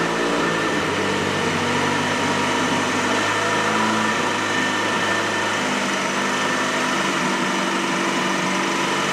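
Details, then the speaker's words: Freshly built Saab engine, first startup at idle with oil and paint smoke: slightly wandering, uneven idle while the ECU adapts; tappets ticking until oil reaches them. "And you can hear that the idle isn't perfect either. So the ECU is trying to adapt,"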